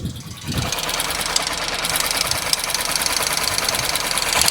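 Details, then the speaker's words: Honda SP125 BS6 with about 600–700 km since half-engine work; fast even metallic tappet tick over a busy idle, louder as the engine heats; attributed to excess tappet (valve) clearance. "But आप लोगों को यह तो पता चल गया कि bike के टाइपर से साउंड आ रहा है। 100% है कि टाइपर से साउंड आ रहा है।"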